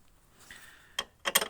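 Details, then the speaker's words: Audi A6 C5 2.5 TDI automatic front bumper: short bursts of tinny metallic clatter; metal bumper mount cups rattling on the reinforcement because one bolt was missing with its plastic nut torn out and another not tightened due to stripped threads. "оці металічні чашечки вони просто по цьому підси підсилювачу брязкали і тому вони давали дзвін"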